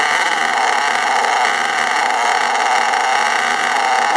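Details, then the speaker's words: STS D30M small engine, smoking heavily: screams at a steady high pitch and holds speed with no throttle input and no visible throttle movement, stopped only with the brake; runaway high revving, cause unknown. "I don't know why it's doing it I didn't touch the throttle any I had to J the brake on to uh to stop that"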